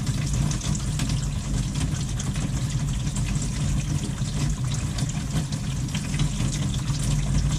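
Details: After work on the kitchen faucet to cure water hammer that sounded like it came from the combi boiler: steady, full-bodied rush of water with no banging or knocking; flow is normal.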